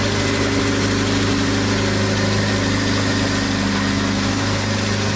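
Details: Abandoned 1979 Triumph Spitfire, revived with fuel system hooked up, warm idle: steady and even with a smooth low hum, no knocks or misses, running like a kitten; clutch and brakes not yet working.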